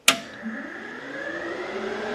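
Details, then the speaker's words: Classic Mustang with an Alloy Works aluminum radiator: electric cooling fans switched on by the key and a hidden toggle switch (for AC condenser airflow) swell to a smooth, even whir with no rubbing or ticking. "you can hear the fans kick on basically this is just in case i want to run the ac i can flip the ac and flip this switch and i know that i have fans pulling air through the condenser"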